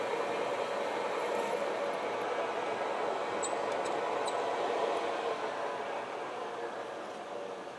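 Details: A used 16x40 gap-bed lathe taking a cut on steel stock that measured 1.9875 in, removing about 8 thou per pass. A smooth, even hiss with no chatter, knock or squeal: normal cutting.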